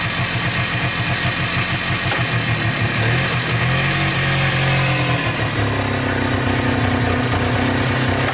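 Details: Polaris Trailblazer 250 2x4 two-stroke quad before top-end rebuild: uneven idle with wandering beat and surging, stumbling revs; owner suspects low compression from burnt-out rings, runs inconsistently, won't stay running or restart.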